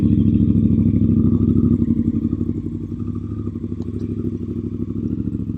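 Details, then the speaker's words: Honda CRF Africa Twin at idle, started after two months sitting: loud, deep, open burble at about three pulses a second with raw exhaust bark. Silencer baffle was lost, likely after its grub screw worked loose. "and as I went, Nala just coughed out her baffle, and I instantly noticed that the bike was sounding considerably louder,"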